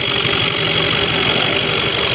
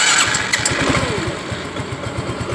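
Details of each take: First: Yamaha Mio 125 scooter idling with a fast, steady light tick like a loose piston, heard on the right side. Piston block, piston, cam, valves, CVT and starter one-way gear were already checked fine, no smoke, oil flows well; oil pump gear suspected, unconfirmed. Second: Yamaha Mio 125 after a repair for a ticking/rattle ("ngelitik"), with cylinder block and piston already replaced and the fix part just installed. It starts, idles smoothly and blips with no tick or rattle: normal running after the fix.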